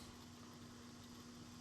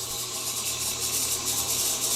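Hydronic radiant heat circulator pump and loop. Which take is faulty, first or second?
second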